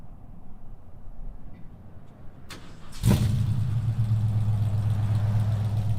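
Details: 1968 Ford Mustang during a pre-purchase inspection, cold engine cranked without pressing the accelerator: it fires instantly on the key and settles into a steady, even low idle, not revved because cold. Normal cold start and idle.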